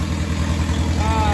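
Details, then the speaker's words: Old Pacemaker tractor after the loose fitting where the mixture screw goes in was tightened and the mixture adjusted by watching exhaust smoke: deep, even low thump at idle with no misses; no fuel leak, running about spot on. "So I've got that back tightened up now. Seems to be running well. There's no fuel leak."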